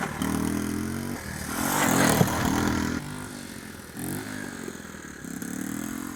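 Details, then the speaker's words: Honda ATC 110 barn find after carburetor bench clean, ridden with no choke: revs unevenly, note sags and stumbles on throttle; owner suspects float bowl or needle valve. "alright guys as you can see it runs and rides with no choke on although you heard it bogging down a little bit I'm sure the thing when I hammer on the gas full throttle it would bog down so I've still got something to work out here"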